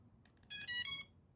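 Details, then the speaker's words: Drone build with ESCs powered by a 4S battery: a few faint ticks, then one bright chime from the motors. Only one tone sounds because the ESCs are not connected to the flight controller and there is no receiver. "we only hearing one tone because the asc is not connecting to the flight controller and there is no receiver"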